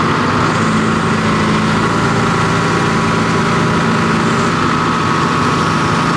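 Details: 245G excavator diesel idling after a cold start with the valve cover refitted; number 3 injector was the suspect for heavy black smoke under load and was repaired. Deep, steady idle with an even beat and no misses or knocking.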